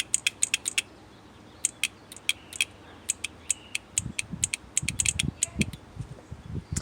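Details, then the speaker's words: 2004 Honda Pilot with P0740, transmission control solenoid tested by jumping power and ground: crisp, sharp clicks each time it is energized. Switching properly; metal specks were found on the filter. "And we're going to see if it actually actuates. So that's working fine."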